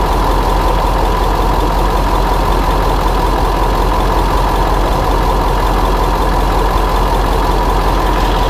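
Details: 2000 Ford F250 7.3 diesel, GoPro spring-mounted, on a ride: loud drone with a faint quick tick at about firing pace, an exhaust leak tick.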